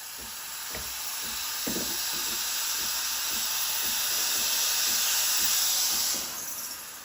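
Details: Breville Barista Express BES870 espresso machine, just serviced (descaled, cleaned), steam wand purging at full pressure: steady high steam hiss with soft regular pump pulses ticking about twice a second underneath; normal steam wand operation.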